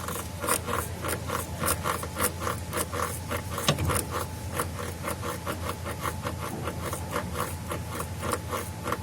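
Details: Mazda CX-9 making noise while driving: quick rhythmic knocking and rubbing about four per second with occasional heavier clunks, caused by a damaged gearbox (transmission) mount.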